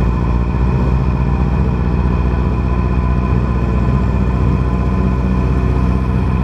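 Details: 2010 Yamaha R6 four-cylinder with an uneven, stumbling exhaust beat instead of a smooth buzz; cylinder 4 dead from bent valves, running on three cylinders.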